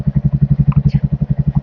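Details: Royal Enfield Hunter 350 that would not self-start, fixed by installing a new battery (charging 13-14.3 V running): deep, even single-cylinder thumping at roughly eleven beats a second at idle with no misses or clatter.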